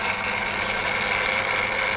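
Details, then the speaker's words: Refurbished and upgraded Daiwa DR-7500 antenna rotator on DC-7011 controller, casing reinstalled, turning left: steady even high-pitched whir, no knocks or grinding; motor and gearbox healthy, quieter with casing on. "there we go so we're spinning around the left it's a bit quieter now that the casing is on"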